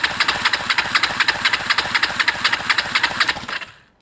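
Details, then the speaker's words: Kawasaki ER-5 twin, left cylinder compression test, cranking with throttle wide open. Even cranking at about four strokes per second with no lopsided puffs, reading 174 against 176 on the right: healthy compression, valves OK at this stage. "please that's great news guys we have a very healthy engine there 175 um very healthy engine uh it also shows me that the valves are okay at this stage"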